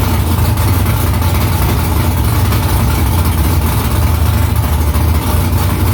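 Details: First start after new headers were installed, exhaust back under the car. Loud, steady low V8 burble with an even pulse, no ticking or misfire. Smoke is from silicone drying around the header. Normal idle.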